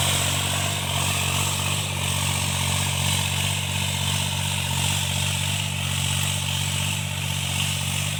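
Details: Tractor diesel cultivating outdoors under working load after an engine knock was repaired: pulls steadily with an even, smooth beat and no knocking; sounds healthy.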